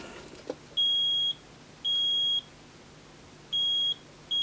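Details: Vinidex HST-S-160 electrofusion welder powered up after repair, before lid refitted: four even high-pitched beeps about half a second long, roughly a second apart; error 01 at start-up, cleared on retry.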